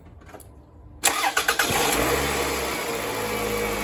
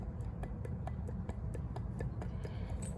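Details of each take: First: 2004 Toyota RAV4 2.4 L four-cylinder after replacing a failed water pump with shot bearings that caused a harmonic rattle: starts after short crank, steady even quiet idle, no rattle; repair fixed it. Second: Removed water pump from a 2004 Toyota RAV4 2.4 L four-cylinder, rocked by hand on the floor: sharp light clicks about four a second from bearing slap; the pump wasn't leaking, just noisy, and is being replaced.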